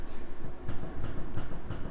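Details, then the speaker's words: 1988 Honda CRX, steering wheel rocked back and forth while stationary: dull knocks about three per second from a worn inner tie rod with play; one side worn without play, this side worn out and dangerous, needs replacing. "you can hear that tie rod. So that side, it's worn, but there's no play, so it's gonna need it. But this one is worn out and it's dangerous, so it's got to get swapped out."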